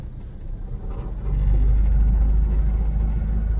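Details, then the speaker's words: WagonR at idle with AC switched on and blower at setting 1: a low rumble swells into a heavier steady drone with vibration from the radiator fan side. A newly installed radiator fan is suspected, not confirmed. "AC चालू अगर आप ऐसा करते हैं, तो से कंपन और शब्दों की ध्वनि आ रहा।"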